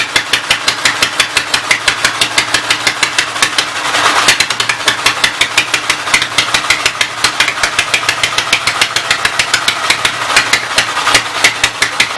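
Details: Sharp, fairly even pops about six a second with a brief stumble: Westchester engine started by belt starter generator after timing bump, running only on full choke; still needing ~3/4 choke signals remaining issues.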